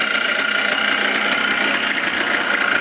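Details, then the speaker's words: 2004 Yamaha Blaster 200cc two-stroke after a carburetor float fix, run with no airbox so the carb is audible: a crisp, quick, even idle popping with a buzzy intake note; it sounds healthy and well tuned. "not leaking no more sounds pretty good no air box that's why you can hear the carb like that"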